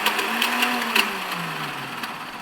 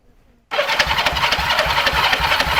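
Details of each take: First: 1971 Honda CL350 K3 Scrambler twin, new battery and used starter solenoid fitted: a high electric whir spins up and fades with no engine cranking beats. The starter turns the chain to the crankshaft rotor but the starter clutch behind the rotor is not engaging. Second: After rebuilding the starter clutch on a 1971 Honda CL350 K3 Scrambler twin, the starter engages at once and spins the engine at a brisk, even rate for three seconds with no slipping or grinding; the starter clutch now works normally.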